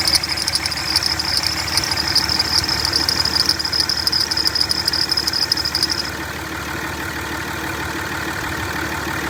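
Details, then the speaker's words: Squeak on a 2003 5.9L Cummins (3rd gen) while driving: a shrill, steady chirping squeal over the diesel idle stops abruptly once silicone lubricant is sprayed on the idler pulley, pinpointing a dry idler pulley, which is then replaced. "i'm gonna spray it on the pulleys one at a time and see if i can figure out which one uh is causing the squeaking in my engine compartment"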